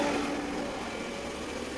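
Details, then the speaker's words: Shimizu 268 BIT jet water pump after repair of its noisy running now gives a steady, even hum with a clean tone and no grinding or rumble; normal running restored. "jadi mesin ini Sudah e halus sekarang suaranya ya sudah normal kembali"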